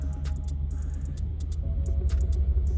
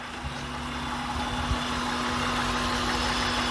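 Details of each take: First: 2003 Honda Pilot with P0505 code, after cleaning idle air control valve and disconnecting battery: low uneven rumbling idle with wavering pulse while warming up; rough idle during idle relearn. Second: 2003 Honda Pilot after cleaning the idle air control valve for P0505, high idle and VTM-4 light, fully warm around 195°F with fan cycling: smooth, steady idle, even low hum, no hunting; normal.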